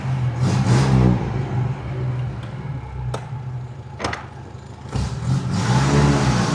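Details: 1935 Aston Martin Mk II after full service (reverse gear jumping out adjusted, all greased), final test drive: low even engine drone swelling and easing with throttle, a few sharp clunks pulling away; runs healthy.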